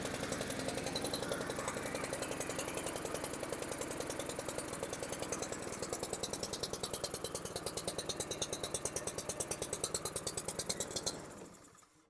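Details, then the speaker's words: 2016 Honda HRR216 (HRR216K9VKAA) lawn mower runs with a rough, lumpy beat and never smooths out, then dies, running rich; the choke lever is jammed forward so it can't come off choke, and the owner wonders if something hit the governor. "Okay, it started, but you can hear it's still on choke. So with this all the way forward, it's not letting it come off a choke."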